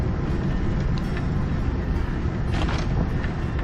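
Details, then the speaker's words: Bike towing a camper on a bumpy paved trail with transverse cracks: heavy wind and road rumble with brief clattering rattle over a bump, likely from handlebar bag, battery loose in its support, and camper contents. "Whenever I hit a bump or a pothole, we can hear a distinct rattling sound. Some of that noise comes from my handlebar bag, some from the battery that rattles in its support, some of the sound comes from the camper and its contents."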